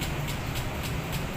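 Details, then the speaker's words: Honda Click scooter, six years old, push-button start: slow, labored cranking pulses about four a second and the engine never starts; the cause is a weak old battery. "Hindi niya mapaandar yung ating motor. Yun o. Nahihirapan na paandarin. Bali, ang problema lang nito mga kaibigan ay yung kanyang battery. Mahina na yung battery niya."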